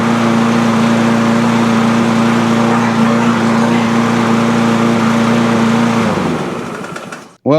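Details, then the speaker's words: Cub Cadet push mower with Powermore engine, after valve train repair and a governor spring tab adjustment, still smoking a bit: steady, even hum at constant speed with no misses or pops, then shuts off and winds down. Normal running. "this thing's running pretty good now. Uh, still smoking a bit, but I'll put it outside."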